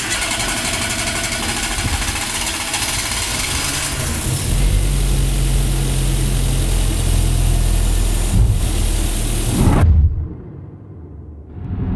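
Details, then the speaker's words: Renault Twingo 1 phase 2 after valve clearance adjustment with shims and a coolant bleed, driving about 12.7 km since the trip counter reset. Even, steady running with a smooth rev-up and no knocks or misses. Normal running. "Ça fait déjà 12 km7 que je fais. J'ai mis le compteur à zéro là et tout se passe à merveille."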